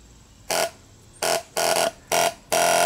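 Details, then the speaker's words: CBR600 reverse trike fuel pump wired directly to the battery: five short bursts of sharp, even mid-tone buzz, stopping cleanly; pump works normally, owner concludes the wiring is at fault. "it works so the pump works so is the wiring that's bad huh"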